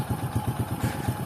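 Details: Honda XRM110 idling right after timing chain replacement with timing marks aligned; old chain was badly worn; steady low thumping idle, even and free of ticking or chain rattle, the earlier noise gone; normal idle.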